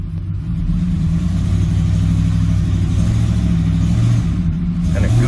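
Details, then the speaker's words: 2007 Ford F-150 5.4L 3-valve V8 in gear, brake-torqued under load: deep rumble with an uneven, lopsided beat as cylinder 2 drops out; dead misfire (P0302) whether loaded or idling, caused by a loose spark plug. "number two is a dead misfire no matter if you goose it or it's sitting at island no load"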